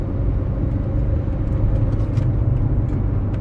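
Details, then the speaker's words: 2003 Renault Megane II 1.5 dCi diesel driven under load, running rough and shaking badly up to about 3,000 rpm, with low power, heavy smoke and an intermittent injection fault light; the ECU logs misfire DF060 on cylinder 2. "but when you are really under load you can feel it you can hear it and everything shakes everywhere"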